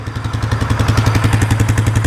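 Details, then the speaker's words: 2015 Polaris Sportsman 570 EFI single-cylinder ATV that sat outside for years, reportedly "blew up"; owner unsure if it hydrolocked from water. Warming up after revival, good fuel: steady, even quick thump, about ten pulses a second, no misses. Engine absolutely quiet, normal idle. "it's idle and perfect but I don't want to give it any [Applause] gas man the motor is absolutely quiet"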